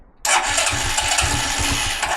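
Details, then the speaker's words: Carburetted G-Moto Cross X Pro moped during a fuel-consumption test, run dry: starter churns the engine in a quick uneven rhythm for about two seconds but it never catches; out of petrol, no fuel reaching the carburettor. "je vais tomber en panne d'essence donc je suis tombé en panne d'essence"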